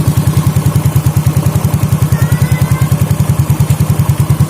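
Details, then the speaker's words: Yamaha Fino/Mio J scooter with a fault but no MIL blink code, after replacing the faulty sensor assembly as one package: a steady low putter with even firing and no stumble, a normal idle. "Nah setelah kita ganti itu bunyinya itu sudah enak ya Dekat segitu ya artinya seperti normal ya"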